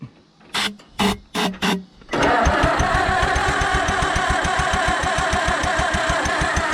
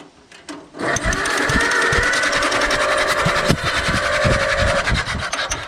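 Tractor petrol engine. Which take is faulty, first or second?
first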